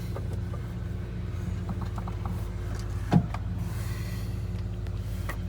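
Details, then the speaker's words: Land Rover Defender 90 with 46,000 miles, running during fuel system service, listening to the fuel pump: a steady, low hum under the running engine with no whine or rattle; fuel pump noise is acceptable, normal. "So with that being said, I want to hear the noise of the fuel pump right now. It's not too bad."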